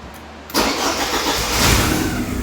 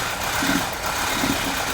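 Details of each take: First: 1984 Porsche 944 after rewiring and fixing a surging idle from an intermittent number two cylinder misfire: quick crank, catches right away and settles into a steady, even idle with no misses or knocks; normal start and idle. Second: 1984 Porsche 944 at idle after a wiring repair: an uneven idle with occasional stumbles, surging and hunting. An intermittent misfire isolated to cylinder number two by checking each plug.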